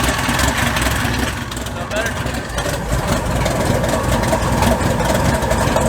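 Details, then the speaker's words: Mud bog truck started after sitting since January. It catches and runs with an uneven, stumbling beat and irregular firing; the spark plugs are fouled out and need replacing. "Short. Spark plugs are fouled out. Like I said, it needs new ones."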